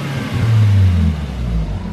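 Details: Nissan 240SX drift car on base-map tune after most boost leaks were fixed, running rich for safety: short deep rev rises and settles back smoothly with no chuffing or hissing; pulls cleanly, idle recovery being raised as it tends to dip.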